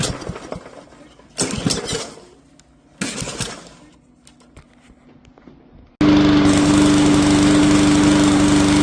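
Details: Free marketplace push mower that sat for years with suspected bad gas: after a few rough pull-starts with carburetor drained, fresh gas, air filter off, primer and a shot of ether, it catches and settles into a steady, even drone with no misses.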